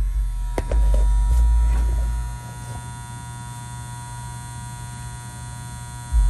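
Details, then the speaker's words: Old Nordyne outdoor condenser unit, low on refrigerant, loose fuses reseated: steady low electrical hum with compressor droning and no fan whoosh or airflow; outdoor fan motor seized. "okay it's running but we have no outdoor fan motor so i'm going to pull that out find me something to try to spin it with"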